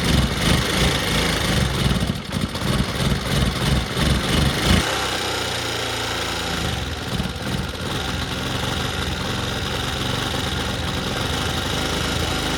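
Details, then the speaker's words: Old Bajaj Pulsar, carburettor just refitted, started on a very cold day: uneven, lumpy single-cylinder beat that wavers and sags then settles to thin idle; runs only on choke and dies when accelerated, carburettor needs adjusting. "Bike चल तो गई पर अभी ऐसा है कि carburettor की setting करनी पड़ेगी क्योंकि सिर्फ चौक पर चल रही है और एक्सीलरेशन करने से बंद हो जा रही है"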